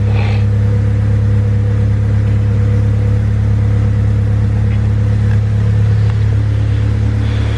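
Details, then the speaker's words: Honda Civic D16, naturally aspirated, tuned to idle without the IACV, harness bypassed: steady, even idle at about 1,000 rpm with a smooth low drone and no hunting or surging; normal idle. "Look at that, crispy 1,000 RPM idle. Freaking awesome."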